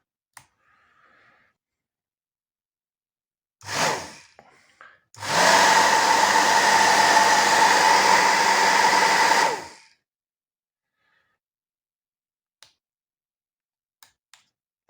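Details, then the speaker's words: Professional hair dryer after the worn motor was replaced, run on speed one without heating: a brief start-up whoosh, then a steady whir with a constant mid tone for about four seconds; the new motor runs smooth and quiet. "i wstawiłem silnik fajnie chodzi cicho spokojnie nie dobra"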